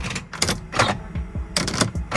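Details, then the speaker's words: Audi Q7, reference for a suspected failed steering lock control module keeping the car from starting: quick bursts of sharp mechanical clicks and buzzes over about two seconds; normal steering lock activation. "the reason why that seems to be the case is because we don't hear it activate here's what it should sound"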